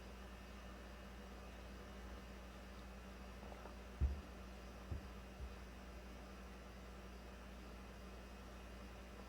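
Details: 2009 Toyota Corolla 1.8, after charcoal canister assembly replaced because the failed leak detection pump would not run: faint, steady low hum with no cycling as the pump pulls vacuum toward a target of about -39 before the vent solenoid check.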